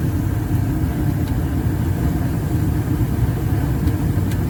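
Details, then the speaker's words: Residential 80% gas furnace, burner ignition after inducer, pressure switch and hot surface igniter, gas pressure 4.0 inches water column, blower off during heat-exchanger delay: even, low rumbling roar with no pops or flutter; burners lit cleanly and fire steadily. "Once we get the flame, it'll let the heat exchanger heat up, and then the blower will come back on. So now we're gonna go to the gas valve. And we got ignition."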